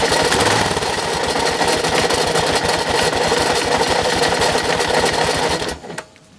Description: 2006 Kawasaki KLR650, done 25000 miles with regular oil changes etc., has suddenly developed a very noisy engine.... but it still got me home!